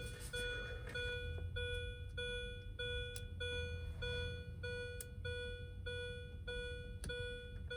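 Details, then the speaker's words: 2005 Mini Cooper S R53, 132,963 miles, no-crank, with the EWS3 module unplugged for a bypass test and the key out. A steady electronic beep roughly every 1.5 seconds; the owner suspects the disconnected EWS, unconfirmed. "Not sure why this is beeping right now. Might be because the EWS is disconnected."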